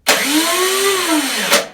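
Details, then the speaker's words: YardWorks 22-inch 179cc snow thrower, long unused, after carburetor float bowl work and priming: the electric starter whirs freely, rising then falling in pitch with no compression pulses, not engaging the engine; the starter has been a recurring issue. "Oh, starter's not engaging. Now it is. That starter's been an issue."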